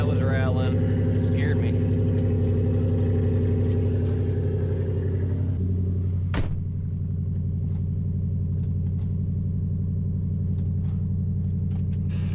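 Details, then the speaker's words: 2005 Nissan Titan after Walbro fuel pump rebuild and new starter, muffler removed: loud deep even exhaust drone steady at idle, no misses or knocks; seemingly running better than before. "so all right seems like it's running real good even better than before hopefully i mean surely with all these new parts i've installed it better run better but should be good"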